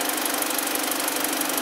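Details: 2012 BMW 318i, about 52,000 km, warm-up idle after diagnosis: coolant 48°C, oil 42°C, intake air 33°C, battery 14.8 V, no fault codes; steady even idle with light regular tick, no stumble or miss; misfire resolved, engine running normally.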